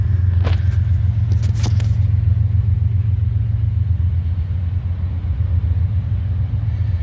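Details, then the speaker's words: 2019 Subaru Outback, Northeast-car trade-in, warm start during pre-purchase inspection: low, smooth idle settling evenly with no real hesitation, knocking or whine; engine sounds healthy. "All right, as you heard, no real major hesitation, no real major noise, nothing terrible."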